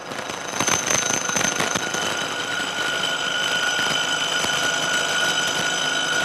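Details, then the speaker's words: Milling a thin, high-aspect-ratio part clamped in a vise: cut noise turns into a high ringing squeal with rattly ticks as it reaches the end cantilevered out of the jaws; chatter vibration. "this cut was proceeding pretty well but as we get out towards the end of the part this cantilever it out of the jaws you can hear more and more vibration and you can imagine that that gets worse and worse as the part gets longer and longer"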